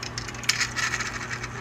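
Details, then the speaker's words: Penn Bay Star 190 fishing reel turned before service gives short dry clicks and occasional thin high squeaks; almost always lack of grease, handle removed next for service. "When you hear that, it's almost always lack of grease. There really is something to that old adage about the squeaky reel gets the oil, right?"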